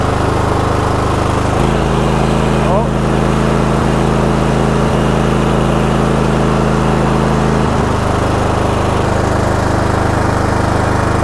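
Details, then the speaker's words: Cub Cadet GT2 LX42 22 hp twin with complaints of surging and hard starting: uneven, loping beat as one cylinder cuts in and out, dead about half the time. Intermittent misfire on one cylinder, suspected failing ignition coil pack. "so we are getting intermittent firing on one cylinder we certainly can see now that that cylinder is not working half the time"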